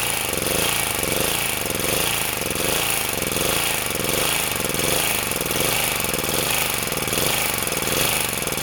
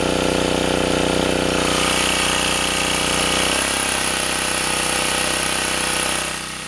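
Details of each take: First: Sportsman 2000 W generator under a 1500 W space-heater load: engine speed surges and sags about once a second as the governor hunts. The governor seems too sensitive, overreacting and bogging the engine, so the spring will be moved. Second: Sportsman 2000 W generator under 750–1500 W space heater load after adding a governor damping spring: even, steady engine note with one smooth settle in pitch, no repeated surging; holding speed well, cycling cured.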